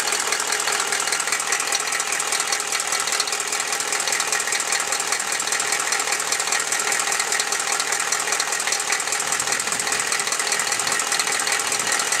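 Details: Chevy 6.5L diesel at idle after start-up, warming: a sharp, regular clatter of about 2.5 knocks per second. It appears once warm and is worse after revving. The owner suspects a valve or rocker arm needing adjustment; the cause is unconfirmed.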